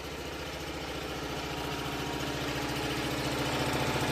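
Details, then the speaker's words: Onan RV generator set, twin-cylinder, running on a rigged vented gas-can fuel supply during a power outage; steady even chug at constant speed, no misses or knocks, quieter than owner's other unit; RV units are meant to be relatively quiet; normal running. "Nice little unit. It's actually a lot quieter than this unit. That one's a lot louder. These RV units are not they're supposed to be relatively quiet, you know."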